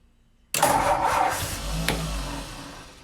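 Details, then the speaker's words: 1949 Ford 4-door Custom, 226 Flathead six, first start after new intake and exhaust manifolds, exhaust flange fitted temporarily: catches instantly with a sharp burst, then settles into an even, mellow run that slowly quietens; runs well, though fuel leaked at carburetor and a fuel-pump fitting. "well uh it started and ran pretty good but i noticed fuel was leaking at the carburetor a little bit"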